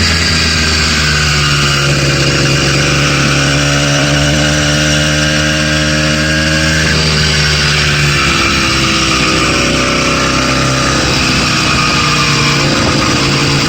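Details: Stock 80cc two-stroke bike engine kit, brand new out of the box, cruising through town at idle and light throttle: uneven buzz with a knocking rattle in the running note; suspected rod knock.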